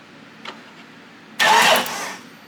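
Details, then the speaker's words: 1997 Jeep with a newly fitted replacement distributor: a single light click from the ASD relay, then a short buzzing whir as the fuel pump primes. Relay and fuel pump operating normally. "pump's on, everything clicks. So that should be good."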